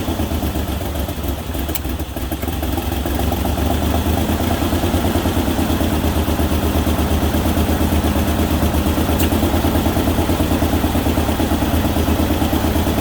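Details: Ford Ranger XLT after a manual transmission shifter bushing repair and reassembly, with the firing order corrected. It climbs to and holds a fast idle with a harsh, rapid puffing rasp, and the owner suspects an exhaust leak.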